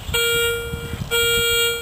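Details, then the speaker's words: Garrett Ace 250 with small 9x6 coil in a park: two clean steady mid-pitched tones, one per sweep, starting and stopping sharply; solid repeatable hit reading between penny and dime at 2-4 inches, likely a coin. "Okay guys, got another solid hit. Let's see, showing up as between a penny and a dime. Pretty solid, in and out, 2 to 4 inches."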